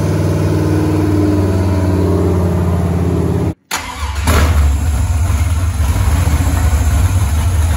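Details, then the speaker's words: Freshly rebuilt 5.3 LS V8 with open headers, TPS clocked for aftermarket 90mm throttle body: deep even idle that cuts out briefly then settles back smooth; normal idle, small stumble attributed to idle air control setting, to be tuned. "so it is idling real nice right now it starts real nice it's snappy it revs up good"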